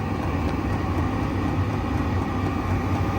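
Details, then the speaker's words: Chinese diesel heater, first startup just after ignition, exhaust turning slightly warm: even deep rushing roar with no surging or pops, burner running normally at output. "exhaust is cold so it's not fired up yet oh that sounds like a burner noise well it's burning out slightly warmer I wouldn't say hot"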